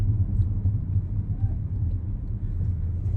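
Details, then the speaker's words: New Audi Q7 that had a rattling sunroof corner while driving, after repair: in the cabin only a steady low road rumble, with no rattles or ticks from the roof. Quiet cabin, no sunroof rattle. "OK， 不响了，非常"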